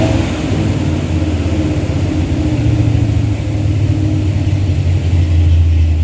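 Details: Truck with a 360 Mopar LA V8 and a Holley double-pumper carb, idle turned up, vacuum gauge attached: deep, uneven lumpy beat that sags and threatens to die at low revs; won't idle below about 1,500 rpm. Vacuum leak or carb suspected, unconfirmed.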